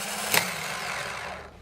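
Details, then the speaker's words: 2010 Toyota Corolla with original Denso starter, cold start in temperatures in the teens, new fully charged battery: short harsh metallic grinding as the starter spins, then fades; happens only in cold weather, stops when warm, ongoing for about three years. "the temperature here is in the teens and I've noticed this is a cold weather thing as it warms up it'll stop"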